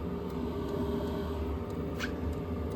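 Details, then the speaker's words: Diesel air heater, exhaust outlet heard from outside; a soft, steady whoosh of air with a low rumble and no knocking or pulsing; normal, healthy exhaust flow, and the muffler seems unnecessary. "It just sounds like whoosh. It's It's just air shooting out. It's not like It's not like an engine where it goes bam bam bam bam and you need a muffler to uh dampen the the percussion here. It's just air flowing out."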